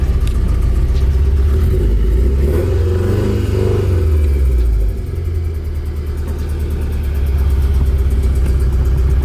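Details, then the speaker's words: Nissan 240SX S13 on its first drive after vacuum leaks were fixed, clutch not releasing fully: low drone swells as the throttle opens, then sags and stumbles and won't reach full throttle; engine hesitates under throttle. "and it's definitely not getting like full throttle like when i hit the gas it doesn't want to go"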